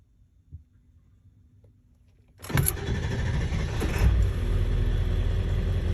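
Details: 7.3 Powerstroke diesel after installing injector shims and the starter, fully warmed up: brief crank, then fires at once and settles into a steady, even idle; starts cleanly when warm, fixing cold start problem.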